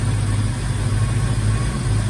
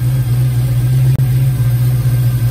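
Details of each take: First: 1990 Mustang GT Foxbody with new engine harness, previously high idle and breaking up at high RPM: deep, even rumble at a steady idle, no misses or surging; running good. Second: Foxbody Mustang V8 after engine wiring harness swap, cold start: steady even idle sitting noticeably high; owner suspects open loop because engine is cold. Earlier idle-changing fault not reproduced.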